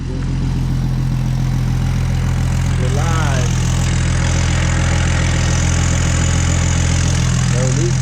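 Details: BMW 135i N54 single-turbo, first start after a quick swap of the failed coolant flange for a billet one and adding coolant. The engine catches and settles into a deep, steady, even idle with no misses, knocks or ticks. Running normally.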